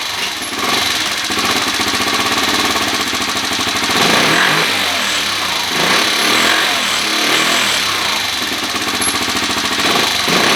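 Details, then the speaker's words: 2013 Kawasaki KFX 50 quad, air cleaner refitted, carburetor being adjusted: small single-cylinder putters with uneven beat, idle surging and sagging, won't hold steady; owner plans to raise the needle a slot. "you can hear it here it goes so it doesn't want to idle very good"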